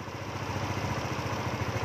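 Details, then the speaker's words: Yamaha Novo scooter after the ISC valve reset with the spring removed and error 37 cleared: a small single-cylinder putters at a steady, even idle with no hunting or dying off. Stable normal idle after repair. "Ổn định tuyệt vời không anh em nghe tiếng guarantee thì ok ạ"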